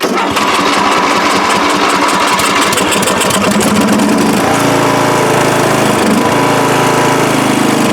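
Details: Free riding mower on a first start test after its gas tank was drained, with fuel poured in and flooding trouble beforehand: the engine cranks, catches and settles into a steady, even run with no misses or knocks, running properly.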